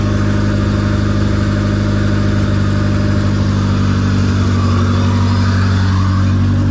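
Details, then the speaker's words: Honda B18C after dual-carb to EFI conversion with an OBD1 harness, first start: smooth, even four-cylinder idle with a steady low hum, no misses or knocks; idles healthy, though the car stalled by itself earlier. "It turned on so easily. And it sounds so good."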